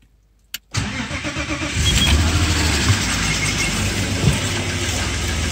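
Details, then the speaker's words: BMW E34 M50 engine on a cold winter morning start, catching after a short crank and idling with a faint, quick hydraulic lifter tick that fades as it warms; 10W-60 oil, thinner winter oil suggested. "конечно чуть чуть огорчило меня эта ситуация стук гидрокомпенсаторов есть чуть-чуть"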